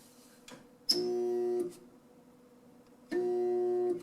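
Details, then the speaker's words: Kitchen sink garbage disposal switched on: two short bursts of steady electric hum with no spin-up or grinding; the motor hums but won't turn, suspected rusted and seized. "hear that there's a garbage disposal that doesn't work and chances are it would see down in here deep into the bowels of the guards puzzle but yeah it's probably rusted"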